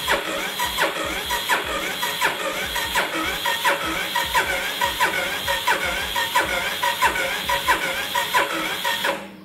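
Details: Yamaha Fazer 250 motorcycle long parked, after electrical rewiring: starter spins the engine at a steady, even pace but it never fires; owner finds no pulse/current getting through despite everything turning. Crank no start.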